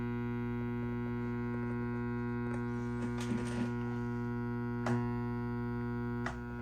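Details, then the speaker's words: Fender Deville 410 tube amp, warmed up, off standby: steady low buzzy hum rich in overtones that persists with the power tubes pulled, pointing to ripple from leaky or shorted filter/reservoir capacitors coupling into the output transformer. "pull out the power tubes you turn it on still hear the buzz which we do you have to think okay there are no tubes there but something is still coupling itself to the output Transformer"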